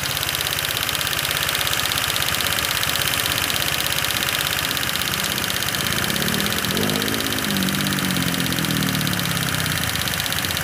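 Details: Old Honda Vario 125 scooter after a full engine rebuild, overheating with boiling, fast-disappearing radiator coolant, idling while warming up; a fast light ticking about three per second over idle, valve tappet noise.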